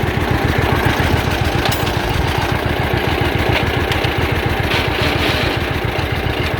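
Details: John Deere Model A two-cylinder tractor towing a loaded trailer on the road after charging system repair, with oil pressure good, still charging and temperature not rising. Steady, even putt-putt with no misses or knocks over road noise; normal running under load.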